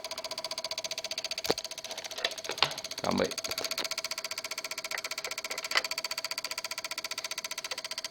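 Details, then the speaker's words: Microsol NG2 voltage stabilizer (110–220 V input, 110 V output) with oscillating output: rapid steady rattling buzz with louder clicks as the relays chatter constantly; the faults were a bad relay and a bulging capacitor. "Ó, mais uma vez, perceberam aí que ele tá direto batendo os relés, ó."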